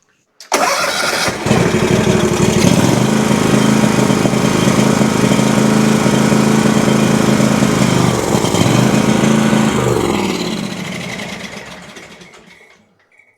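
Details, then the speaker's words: Exmark Vantage S stand-on mower with Kawasaki FS541V twin: runs lumpy and uneven, then winds down and shuts off; pops, lacks power with blades engaged; no choke setting fixes it, fuel looked clean, so fuel/air issue doubted. "I just worked it kind of from low to high and there was no spot, no matter the amount of choke that I added, that would make it run right."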